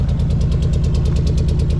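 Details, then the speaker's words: 1979 Suburban V8 with new dual glasspack exhaust, idling outside: loud, lumpy, slightly uneven idle suggesting a miss; temp-gun check shows possibly number seven cylinder about 100 degrees cooler than others. "so well I got her outside definitely sounds like it could be missing"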